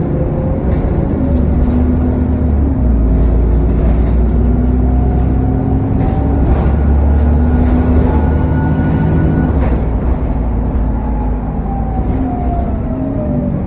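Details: SN61 DDE E210 diesel on a dead run under way: constant road rumble, loud thrashing cooling fan roar and a thin turbo whistle sliding up and down as it pulls.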